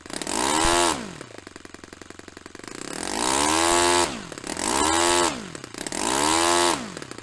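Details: Rebuilt Saito FA-45 Special, on a test stand, 10% nitro fuel, original old glow plug, after tuning. Revs climb and fall smoothly several times without stumbling; running nicely, normal running.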